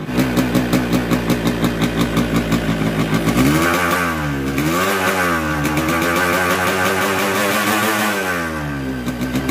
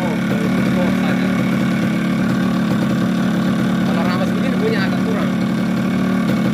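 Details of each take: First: Newly bought Yamaha RX King two-stroke with a 125Z head, block recently rebored: rough, uneven beat with a gritty rattle that swells when revved; a worn crankshaft bearing and a seal chewed into the gears; connecting rod and block replaced. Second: Yamaha RX-King two-stroke fitted with a Yamaha 125Z cylinder head, after a full engine teardown (connecting rod and block replaced, magneto rotor rubbing fixed) for a very rough-sounding engine; now a steady, even idle burble with no knocks or rattles, normal.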